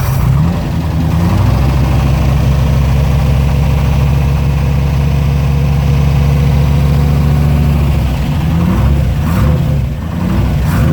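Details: TVR wedge V8 with a new Facet red top fuel pump under the bonnet, fuel pressure at 4 psi: a deep, even burble holding steady at idle, then picking up cleanly on throttle blips. Normal idle and revving.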